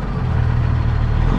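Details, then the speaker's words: Semi truck diesel with loss-of-power complaint at idle: deep lumpy beat with occasional low stumble, a hiccup on the low end; injectors suspected not firing well, possibly cam; rough idle, misfire noted, cause unconfirmed. "got a little bit of a hiccup on the low end so we'll check our gauges real quick"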